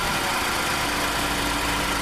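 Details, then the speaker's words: 2015 Ford F-150 2.7L EcoBoost at idle after quick fix for a vibrating pin that rattled: light steady turbo whoosh remains, rattle gone, normal turbo idle. "the Ruvo still still makes noise right but the rattling is not there anymore so that's pretty good for me"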